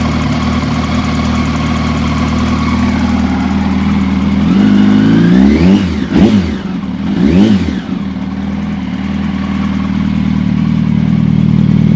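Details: 2006 Yamaha YZF R1 with 19,000 km, four-cylinder, idling with a light, fairly quick ticking from up towards the cylinder head, plus two short throttle blips; the issue was later solved.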